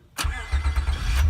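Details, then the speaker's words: 2003 Honda Accord V6 (7th gen) after starter motor replacement, battery reinstalled: short crank catches almost at once into a smooth, even idle; strong, healthy start. "that is a strong start so there you go guys that's how to change the starter motor on your 2003 Accord"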